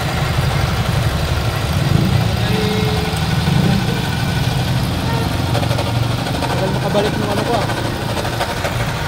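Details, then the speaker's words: 2020 Toyota Innova 2.8 diesel (1GD) with a noisy engine, diagnosis being checked: steady rough idle with a gritty whirring layered over it; suspected worn alternator bearing (water pump, compressor, idler, tensioner and power steering pump also possible sources). "So ngayon iche-check natin mga boss kung tama yung ah diagnose natin dito na alternator bearing ang may problema ingay"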